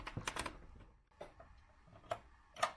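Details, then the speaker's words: Sony PlayStation 1 CD drive after laser lens cleaned with isopropyl alcohol, previously squealing and not reading discs: a few soft clicks and seek ticks, no squeal or grinding; drive starts up normally and reads games. "the drive is also nice and quiet now without any squealing sound or grinding"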